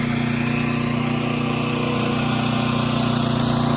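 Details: Champion generator (bought for $1100) running a home air conditioner after a soft start kit was installed on the AC unit: smooth, steady engine drone at constant speed with no surging, knocks or misses; normal running.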